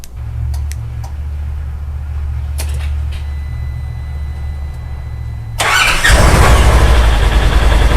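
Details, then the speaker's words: Polaris Ranger started by newly installed Dirty Teeth Racing remote start kit, remote button held 2-3 seconds: quiet low rumble, engine catches cleanly about five seconds in and settles to steady even idle; normal engine start. "Okay, so that works."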